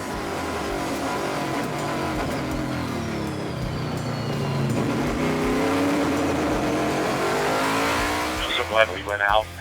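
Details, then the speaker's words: Race car at COTA, 2022: the engine note drags and climbs slowly off slow corners, lugging and bogging at low speed. First gear is too tall and the jetting is not right. "the gearing was too tall first gear was too tall so the car was lugging off the slow Corners"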